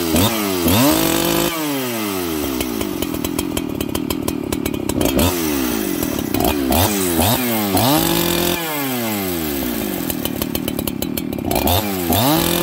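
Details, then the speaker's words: Farmertec 288XP kit chainsaw with an aftermarket carburetor, just started and idling, decomp stuck open by the top cover: revs swing up and down every two to three seconds between jets; surging. "it's doing some weird throttle up throttle down things when it's transitioning between jets"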